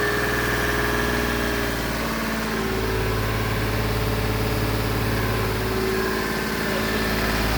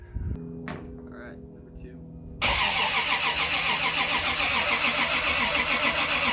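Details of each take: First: Turbocharged Lexus IS300 with VVTi 2JZ-GE engine, first start after four years of building, fresh wiring, fuel pressure sensor and wideband: steady even idle, constant low drone, no knocking or hunting; normal idle, though leaks were later found. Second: Turbo Lexus IS300 with VVTi 2JZ-GE build, first start attempt after newly wired sensors and wideband: starter spins the engine evenly at about three to four turns a second but it never catches; not firing, cause unconfirmed.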